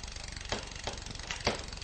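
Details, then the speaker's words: Bicycle with Shimano rear derailleur: limit screw backed off too far, so chattering and then sharp metallic clicks as the chain overshifts off the sprocket and jams between sprocket and frame. "your chain jams up it's now stuck between the frame and the spocket you won't go anywhere"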